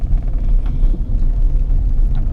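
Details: 2014 Hyundai HB20 driven slowly over rough dirt road: dull front-end knocks over cabin rumble, sounding like a stabilizer link (bieleta) or ball joint knocking.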